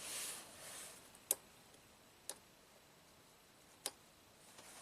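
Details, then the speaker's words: 2016 Honda Pilot, 104k miles, harsh shift out of first on first key cycle; red-wire clutch pressure solenoid on secondary valve body fed one amp via test light, engine off; three sharp clicks, solenoid works, no circuit fault. "you can hear it so like I suspected the valve moves carries an appropriate current it's not a circuit code"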